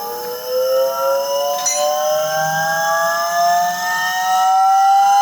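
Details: Volvo-engined car, newly fitted cheap eBay electric-driven hydraulic power steering pump replacing the mechanical pump, test on small battery: aeroplane-like whine slowly climbing in pitch; pump works but battery can't sustain it, owner hopes battery not pump.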